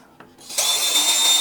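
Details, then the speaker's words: HL 912 18V cordless drill after a year of use, planetary gears regreased, run with no load: it spins up to a clean, steady high whine with no grinding or rattle, smoother than before. "Dan bor ini bertambah jos ya, lebih halus daripada sebelumnya."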